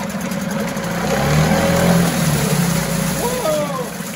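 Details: 1974 Mercury 4 hp single-cylinder two-stroke outboard in a test tank: steady, even buzz with slight speed rise midway, no misses or knocks; runs like a top.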